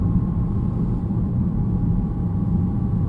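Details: BMW E90 318 while driving, brake pads just replaced: a faint, steady metallic whine over road rumble, much louder in real life. Blamed on the rear differential.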